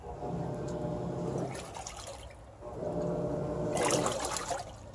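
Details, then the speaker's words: Samsung WA40J3000AW/A2 top-load washer after agitation grinding fix, agitating with a load of water, lid switch defeated: water sloshes in smooth surges, no chatter or grinding; agitates normally. "and that's what it's supposed to sound like when it's agitating all the chattering noise is gone"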